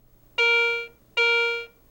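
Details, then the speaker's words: Garrett ACE 150 metal detector in All Metal mode, coin passed over the search coil: two clean identical mid-high tones about half a second each; the normal high-conductivity coin alert. "Targets with a high conductivity, such as most U.S. coins, produce Garrett's exclusive coin alert, while targets of medium conductivity, such as jewelry, nickels, or foreign coins, sound like this."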